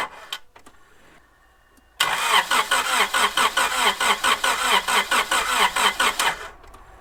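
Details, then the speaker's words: Honda Prelude after head reinstall and oil fill, first start attempt with reconnected battery: starter churns slowly about 2.3 pulses a second for four seconds without catching; suspected dead battery, later started with jump pack. "I think it was a dead battery, so I hooked up my buddy Seth."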